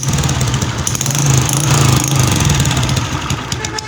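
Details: Honda CG 125 Euro 2 at idle: loud, uneven clattery ticking that seems to come from the cylinder head but is actually caused by a damaged, leaking pressure pipe.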